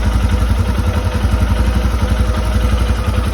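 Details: Royal Enfield Himalayan single-cylinder at idle: light metallic tick on each beat, about three or four a second, steady and even.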